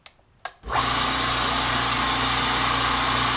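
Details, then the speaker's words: California Air Tool compressor after home repair of a factory defect that failed it at about five hours of runtime: motor kicks on cleanly after a couple of clicks, steady even whine, no knocking, quiet, pressure building; repair works. "if the pressure builds up you can hear it is a quiet compressor pressure is building up i'm going to call that a win"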